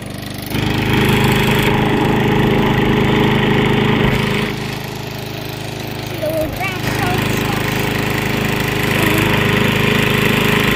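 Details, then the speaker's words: Lawnmower fixed after 8 months of no use, heard from a few steps away: steady, even drone with speed holding, no misses or knocks; running good. "It's running good, guys. You hear that thing?"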